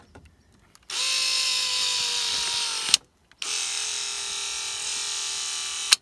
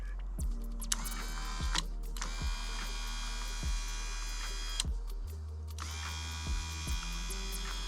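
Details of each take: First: 1989 Toyota van, original driver's-side power window motor/regulator, worst when closing: two runs of loud high whining buzz that slows and drags toward each end with a thunk at the stop, the motor struggling. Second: 1989 Toyota van's original window motor bench-run up and down; a smooth, even whir, much less noisy than the struggling driver's side, though the owner hears a slight pitch difference between up and down.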